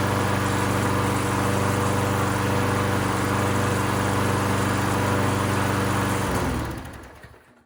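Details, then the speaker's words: Cleaned-up free mower, electrical issues believed fixed, gas in tank; small single runs smooth and steady about four beats a second, then shuts off cleanly; normal running. "All right, well, there you go. Runs good."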